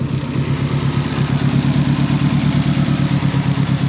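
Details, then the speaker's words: Car running at idle: low, uneven, lumpy beat about three pulses a second that keeps stumbling, a misfire. Owner is fiddling with the spark plug wires and says the timing belt is not doing well; cause unconfirmed. "see if I can mess around with the spark plug where I make it run better with wires"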